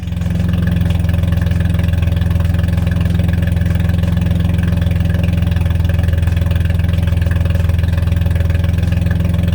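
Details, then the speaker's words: 1982 Toyota Celica Supra, first run after revival, open header, no cooling system fitted: loud deep even burble with steady rapid beat; idle holds smooth and healthy. "man it makes me so happy to hear this car run got the open header on"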